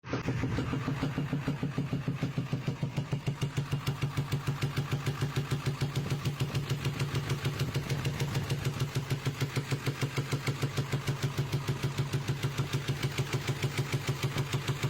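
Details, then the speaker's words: 2000 Ford F-350 7.3 diesel V8 at idle: sharp steady popping about three times a second, seemingly backfiring through the air intake, fender vibrating, passenger side quiet; began after a turn at 30 mph; driver valve cover looked fine; cause unconfirmed. "It sounds like it's coming out the air intake. Passenger side's quiet. Sounds like it's backfiring through the air intake."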